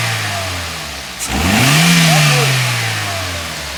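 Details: Toyota GLi: smooth quiet idle, then a clean rev climbing and falling evenly with no top-end tapping; healthy engine.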